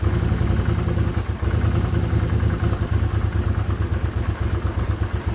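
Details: 1979 Honda CX500 Custom that hasn't run in 2 years, newly rebuilt carbs, tried with and without choke: uneven low idle with a sharp pop and chuffing pulses breaking the rhythm. Backfiring, cause unclear; owner may richen the mix screws.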